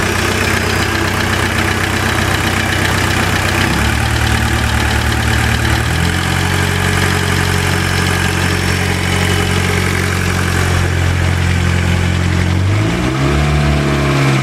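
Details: VW Jetta diesel idling: steady light tick over diesel clatter, hum shifting pitch a few times; persists despite new rod bearing and new lifters under 100 miles ago.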